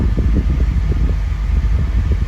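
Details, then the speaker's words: 1991 Honda Prelude after AC compressor seal replacement, recharging on recirculate, cabin at 60 degrees: low steady blower whoosh over smooth engine hum, compressor cycling off and on, no rattle or squeal; system healthy. "I can hear the system cycling off and on."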